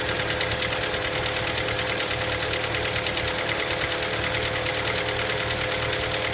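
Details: Hyundai Elantra MD 1.6 at cold idle: a steady light ticking knock about two per second rides over the engine on a cold start; the cause is not confirmed.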